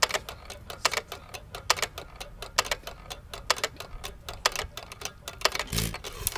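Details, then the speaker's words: Hit-and-miss engine (1½hp T. Eaton or 4hp Nelson Brothers) coasting, no governor springs, slowest throttle: sharp light clicks roughly every quarter second, the cam tapping the exhaust latch arm each cycle; normal hit-and-miss coasting. "all right so if you're listening to the motor you're in here making a clicking sound click click click that clicking sound means that the motors ran through one uh cycle of the fourstroke cycle"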